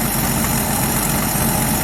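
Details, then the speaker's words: 1977 Ford F350 dually tow truck, long-sitting estate-sale find, warmed up: steady, even, smooth idle with no knocks, misses or ticks; water pump working and engine sounds real good, with a possible exhaust leak or leaking PCV hose. "Water pump seems to be working. Engine sounds real good."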